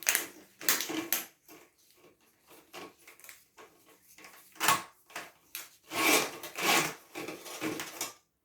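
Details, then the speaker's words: Toilet with weak flush, pumice stone stuck in the P-trap: toilet auger turning produces irregular gritty scrapes and knocks against the stone; afterward flush much better but stone not out. "It's working on it. You see that? I feel the pumice in there."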